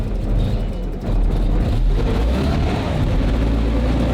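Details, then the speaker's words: Early Cold War armored car with Jaguar XK six-cylinder petrol engine, fuel pump running, in neutral: catches readily, then deep, steady, even rumble with no knocks or stumbles, not yet warmed up; normal start and smooth idle. "especially once it warms up a bit. But that's good. It burst into life really well."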